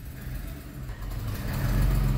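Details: Honda truck with code P0108 (MAP sensor circuit high): steady, low, slightly lumpy exhaust drone at the muffler, which is left sooty black with some visible smoke; running rich, code points to the MAP sensor.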